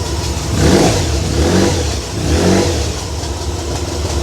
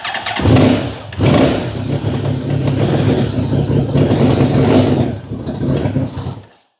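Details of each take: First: Honda VFR1200F V4 that misfired and wouldn't idle or rev smoothly below 4000 rpm, here with vacuum line connected and electrical cable disconnected: idles and blips three times cleanly; tapping heard, owner suspects exhaust valve bouncing. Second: Honda VFR1200F motorcycle, low on fuel, running on jump cables: lumpy, stumbling misfire and unsteady blips before cutting out; it won't idle or rev smoothly below 4,000 rpm.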